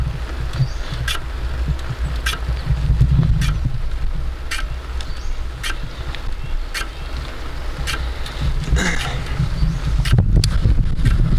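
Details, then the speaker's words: Bicycle road-plus tubeless tire after a roadside puncture plug, riding; under wind rush a light tick about once a second with each wheel turn as the plug's loose tail rubs the fender, expected to wear down. "Well, it's gonna rub on the fender a little bit, so hopefully that'll wear down soon."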